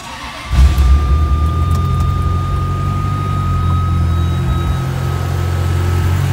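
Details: 1995 Ferrari F355 GTB with gated manual and about 23,369 miles, cold start without warm-up: it fires at once and settles into a deep, even, slightly raised cold idle with no misses or knocks, a healthy cold start.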